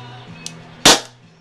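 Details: Colt Defender CO2 BB pistol, test fire after fresh CO2 cartridge loaded: one sharp crisp crack with short hiss tail over quiet low hum; clean full-power shot, cartridge pierced properly.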